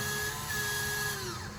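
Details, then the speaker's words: 2022 Wildwood 42FLDL RV bathroom roof vent opening: thin steady motor whine holds pitch, then slides down and fades as the vent reaches full open and stops automatically; normal operation. "that vent opens itself up once it's fully open you're going to hear that motor whine and then stop in place"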